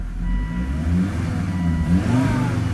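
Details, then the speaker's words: Volvo S60R, rough running persists after removing a filter: revs climb unevenly with a lumpy, stumbling note when stomped from idle, fine on light throttle, with heavy vibration; owner suspects old gas or motor mounts; rough running under acceleration. "Under light accelerations, it's okay. But once it idles down and then you stomp on it, it runs pretty bad."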